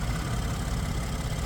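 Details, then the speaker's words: 2012 Ford F-150, 3.5 EcoBoost, 4x4, about 194,838 miles, heard at idle with the hood open: a steady low rumble with a faint light tick on top; sounds healthy, nothing concerning. "Little bit of a tick, maybe, but I don't think it sounds like anything concerning. Just sounds like a little tick."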